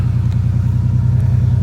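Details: 1999 Ford Ranger XLT 4.0 4x4 warming up at idle: deep rumble with uneven, lumpy pulse and dropped firings, misfire with no codes plus hard starting; owner suspects a bad ignition coil, not confirmed.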